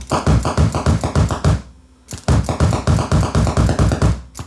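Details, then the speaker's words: Viking SC5894 8-track recorder stereo: dirty record/play switch, sprayed with cleaner and worked back and forth, sends rapid dull thumps, about three a second, through the speakers, visibly moving the speaker grills. "Like, look at the speaker grills. That thing's making quite the thump there."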